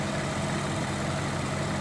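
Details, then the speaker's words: Ferrari 458 Italia being rebuilt after a front collision, cooling system refilled, warming up with heater blowing hot and fans not yet on: smooth, even low burble at steady idle, no knocks, misses or hunting; sounds good. "Wasn't me, but she sounds good."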